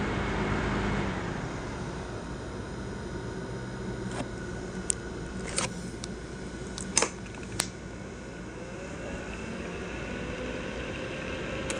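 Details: Asus laptop CPU cooling fan: steady loud airy whoosh with faint tone and stray clicks; fan running hard, cause not evident.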